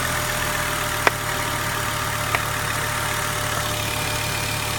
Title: Volvo 850R outo ääni moottorista / weird noise engine